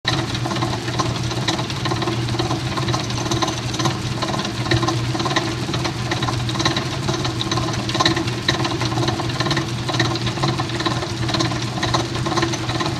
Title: Amana Washer (MFG # P7762117WW) Agitator Clunking Noise (Part 1)